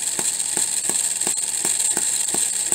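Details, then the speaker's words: Homemade miniature 4-stroke hit-and-miss engine on Coleman lantern fuel with battery ignition: sharp firing pops about every 0.35 s, then a quiet coast with light ticking while the governor locks out the exhaust valve; normal hit-and-miss running. "so you can hear it fire and then coast and uh looking right through here you can see that little governor expanding and that's when it it locks out the exhaust valve"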